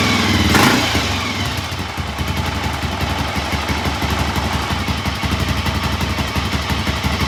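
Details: 1983 Honda XR500 single, cold start after sitting overnight following carburettor float adjustment, with choke: loud kick-start burst settling into a steady, even thump at idle; clean cold start and healthy idle.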